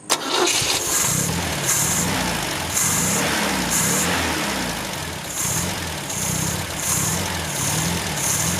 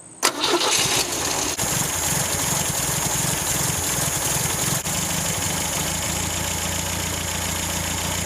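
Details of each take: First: 1974 MGB after a carburetor rebuild, with jets and pump jet set near stock and idle screw at only half a turn. It fires, then idles slowly and lumpily with a surge about once a second, so the idle speed screw needs raising. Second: 1974 MGB after carb jets and pump jet were reset to stock and idle speed and mixture screws adjusted: the engine catches and settles into a steady, even idle with no hunting. The carb is dialed in and runs smooth.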